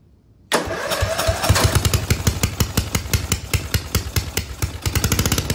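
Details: Lawn mower engine with governor, newly welded exhaust flange with small pinholes, fired up before turbo fitting to clear the pipe: starts at once into loud, sharp popping idle. Open exhaust, no muffler.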